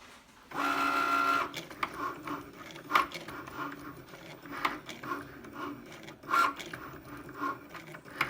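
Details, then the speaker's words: Brand-new Cricut Maker on first use, cutting a loaded mat: a quiet whir with irregular soft knocks about every second as the carriage moves back and forth. Source of the knock unknown. "I'm going to load my mat that's the noise so it continues to make this noise throughout the video that I'm making for you"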